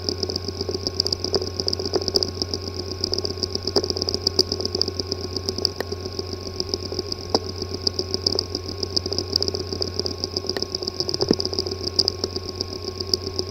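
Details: WD My Passport external hard drive (WD20NMVW) not accessible by any computer: irregular light clicks over a steady high whine and low hum, from physically damaged disk assembly; cleanroom disk assembly repair recommended.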